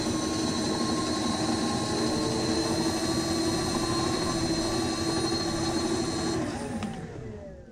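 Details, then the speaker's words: DIY dual 350 W hub motor electric scooter, rear battery at 35.1 V, both on mode 3, separate displays: both motors give a smooth steady electric whine and coast down cleanly; healthy. "front so you can hear them both of them are working at the same time not in paral not in parallel uh separate both displays are working"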